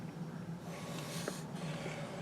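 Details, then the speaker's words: Rebuilt Midland Ross brake booster, 1970 Dodge Charger drum brakes, reserve applies in quiet room: two soft, short hisses of incoming air on second–fourth applies; normal booster breathing, no leak. "now listen as the reserve goes down like the second or third or fourth apply we don't hear the in Russian air increase"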